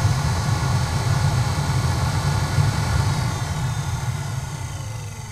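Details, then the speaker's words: 2001 Corvette C5, newly replaced HVAC blower motor and auto fan controller (the old blower scroll wheel had a dead mouse wedged in it), tested at 70° auto with the fan run up: steady low whooshing roar, even hum, no rubbing or ticking; the blower runs smoothly and balanced. "i'm going to run the fan motor up you can hear it you can hear the motor running"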